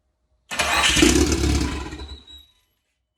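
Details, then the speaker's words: JDM Mitsubishi Evo's first start in years after new turbo setup, boost to be set at 18 psi, no cat-back exhaust: brief crank, catches at once into a loud, raspy, lumpy idle; healthy cold start. "started like that Jesus Christ yo stinks dude that started like nothing let's go"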